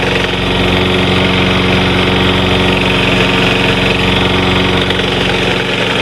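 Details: Snapper Big 6 mower, model P216012: engine runs steady with a harsh scraping grind as the worn-out drive wheel's metal rubs against the pulley; fix is replacing the rear wheels.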